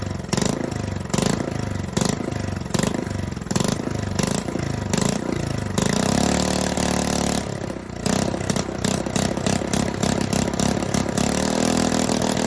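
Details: Honda 5.5 hp small single-cylinder engine rebuilt after sitting outdoors nearly 3 years, air leak fixed; pulses through a few start attempts, then catches and runs with an uneven, hunting beat; rough running, not perfect but manageable.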